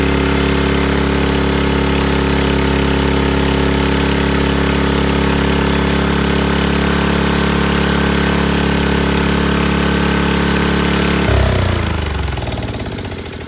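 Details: 5000 W Powerback gas generator after a replacement Hipa carburetor, new fuel lines, filter, petcock, spark plug, gaskets and oil: steady even engine drone, smooth until shutdown, running healthy.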